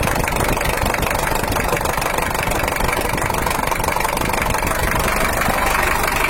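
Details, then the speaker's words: Toyota Hiace LH-11 diesel after repair of broken injection pump bracket hole (weak rear bracket let pump shake); idles unevenly with lumpy, shaky clatter about three beats a second, pump movement upsetting timing; rough idle, to be smoothed further. "suaranya sih udah normal tapi karena Inggris nih bocah sehingga power pengapiannya grup Bro bahagia geser bisa kasar bisa halus baik ini agak kasar"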